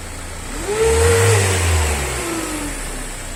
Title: Renault traffic 2020-22. White smoke,low power and noisy when revving most common turbo assy